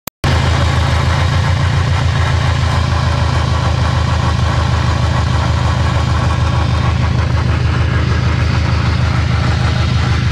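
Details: Subaru STI 6-speed, car jacked up after a loud drivetrain noise: steady low droning rumble with fast even pulsing about two beats a second; owner suspects gearbox or transfer case bearing failure, unconfirmed; drivetrain noise.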